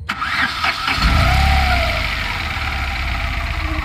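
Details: Tata Nano that stopped while running and would not start, after timing belt fitted and timing adjusted: cranks briefly, catches cleanly, settles into steady even idle with no knocking or misfire.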